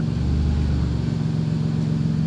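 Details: Chrysler Grand Voyager minivan first start after reassembly (control arm, brakes, front relays and wiring removed), no check engine light; engine catches and settles into even steady hum, no knocking or stumbling, running normally.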